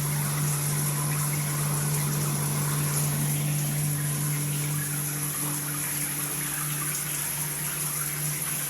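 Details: Multifunction shower system with poor overall flow: a steady low hum under rushing water at the shower valve, with slight vibration felt when the body jet function is used.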